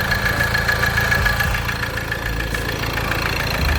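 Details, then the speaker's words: Ford Transit Connect diesel after an oil sump replacement, at idle: steady knock about three times a second over the clatter; suspected worn crankshaft pulley harmonic balancer rubber, possibly a stretched timing chain; replacing both is suggested. "I'm not happy with the sound. Like I was never happy either."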